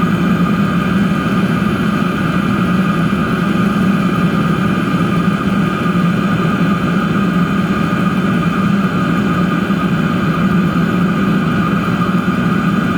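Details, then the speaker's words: DIY diesel heater with homemade controller, about 8 minutes running, heat exchanger casing at about 190 degrees and stabilised: smooth constant combustion roar and fan hum, no surging or pulsing; normal running. "Stabilised now. I honestly don't think it's going to get a lot hotter than that."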